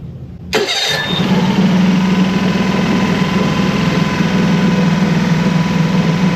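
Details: Mercury 25hp four-stroke EFI outboard after idle air control solenoid replacement: catches and holds a fairly fast idle with faint wavering hum; idle unsteadiness persists, owner now suspects the MAP sensor.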